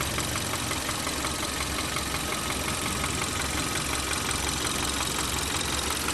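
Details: 2013 Kia 1.6 L direct-injection engine at idle: a steady light knock about three a second with a slightly rough, shaky, vibrating run and injector clicking, a knock later solved by removing engine sludge.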